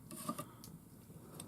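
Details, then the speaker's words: Remington 552 Speedmaster .22 rifle during reassembly after servicing, charging handle and lever in place engaging the bolt; a few quick light metal-on-metal slides, even and free with no grit or catching, showing the bolt travels rearward smoothly. "so when you put it back together this is the arrangement this is what it should look like as that bolt travels rearward that's how it should slide back and"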